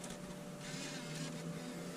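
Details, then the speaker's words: 2005-2009 Ford F250 radio after plugging in aux cord harness: faint whirring and soft mechanical clicking in dash for a couple of seconds as CD changer cycles on power-up; remove CDs beforehand. "kind of cycling through. That's why you want to make sure that all your CDs are out of your changer."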